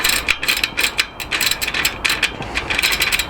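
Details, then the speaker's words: Moulton bicycle, newly built rear wheel with Sturmey Archer FW 4-speed hub, spun freely while only finger-tightened: fast bright ratcheting clicks in uneven clusters; hub is rough and notchy and needs opening. "brother tie to notchy too that sounds horrible actually and that's not even tight and that's just finger tightened right"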